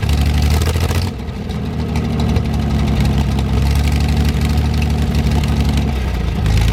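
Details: 1973 GMC 432 cu in V6, first run after about 5 years sitting: deep, steady low rumble with an even beat and no knocks or ticks; no smoke once warmed up; normal idle.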